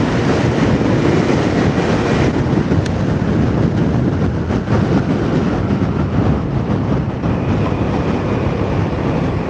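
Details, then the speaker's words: Yamaha Mio scooter after engine overhaul, accelerating past 30 km/h while riding: engine pulls smoothly and steadily under wind rush, no popping or stumbling; normal acceleration. "Ya. Percepatannya stabil. Tidak ada suara tersendat, tidak ada suara gagap."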